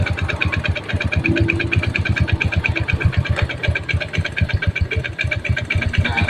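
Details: Yamaha Jupiter Z motorcycle idling and at raised rpm: steady klek-klek knock resembling a connecting rod, traced to centrifugal clutch shoes hitting the clutch housing.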